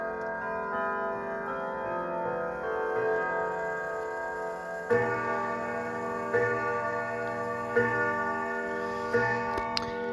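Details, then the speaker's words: Sligh triple-chime grandfather clock, recently repaired, side panel off: clear chime tune, then four evenly spaced deep hour strikes for four o'clock, sounding exactly as ten years earlier; normal hour chime. "it sounded exactly as it uh did it sounds exactly as it did 10 years ago when i first filmed this so it's kind of nice"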